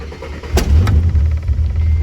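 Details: AU Falcon's first start in years after fitting new plug wires and adjusting the idle screw: catches almost instantly with a couple of sharp backfire pops, then settles into a steady low idle on its own.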